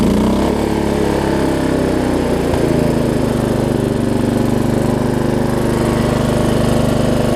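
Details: Lowe's riding mower single-cylinder engine, after battery conversion and ignition fixes, even drone dropping in pitch to a lower steady idle as it throttles down; carburetor needle and seat suspected leaking.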